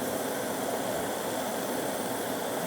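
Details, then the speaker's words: Ford Ranger EVAP system smoke-tested at the vapor management valve: a steady airy hiss at the filler neck where the new aftermarket gas cap does not click or lock down and seal, despite a newly fitted filler neck. "i come back here and i could hear some hissing and it's this gas cap doesn't doesn't even click it's uh you can probably hear it hiss in there"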